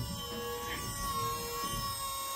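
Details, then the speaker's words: Volvo electric power steering pump (2004-2013 S40/V50/C30/C70 unit) fitted to a 1965 Mustang, first run right after the battery is hooked up: a steady, smooth electric whine with no grinding or rattle. The pump runs normally. "you want to go full lock well there you have it there is a Volvo electric power steering pump and a 65 Mustang"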